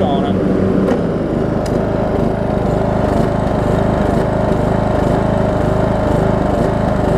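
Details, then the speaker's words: Troy-Bilt Bronco riding mower, Briggs engine with valves out of adjustment, owner suspects worn cam lobes: steady engine drone with blades engaged and a rough, harsh whirr under the deck; one blade spindle sounds very bad but still turns. "I still got a blade turning down there one of the blade breaks sounds like - oh gosh I've built about to split it's so bad but hey it works the blade works"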